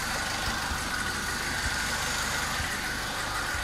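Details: Citroen C3 HDi diesel that had died and wouldn't start, fixed after crankshaft position sensor (CKP) wiring fault: steady, even diesel clatter with no misses or dips at idle, running smoothly; normal idle.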